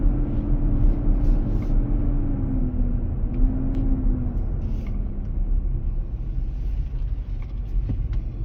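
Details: 2023 Nissan Armada, about 4k miles, hot weather (cabin about 95F): deep steady roar under road noise while cruising slowly, comes and goes, gone near 45 mph, returns when pulling away from a stop under throttle; dealer confirmed engaged fan clutch cooling the engine.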